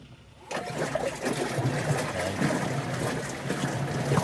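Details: GE top-load washer after suspension rod repair and collar fitted, motor no longer sitting on the bottom, filled on extra large: steady low churning with water sloshing, no knocking or scraping of the tub against the cabinet. Agitates quietly and normally.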